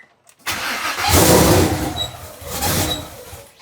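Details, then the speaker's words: First start of a twin-turbo Mustang built for 1500hp: it cranks, catches with a loud surge, then the revs sag, swell once more and die, so it won't stay running. Owner suspects the throttle body, not 130 mm, isn't letting in enough air. "Okay. I I mean, it's starting. Can I keep it alive? Dude, it sounds crazy."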